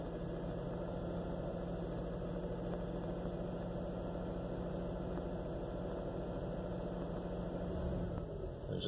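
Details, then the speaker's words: 2001 Jeep Cherokee XJ Limited at start-up: uneven, loping, choppy idle, seemingly on four cylinders, with check engine light flashing. It clears after driving. Owner suspects vacuum leak, ECU, coil packs or fuel pressure regulator; cause unknown. "it's a little bit of really chopping it's only running off on four cylinders and chickens and light flashes"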